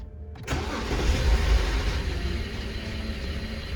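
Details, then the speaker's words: BMW E60 525i 3.0 N53 petrol engine after swapping coil 1, starting into an uneven, lumpy idle with a stumbling low pulse; misfire persists, code 29CD cylinder 1, with power loss and needle hunting. "you can see, our tremor continues, the engine failure continues,"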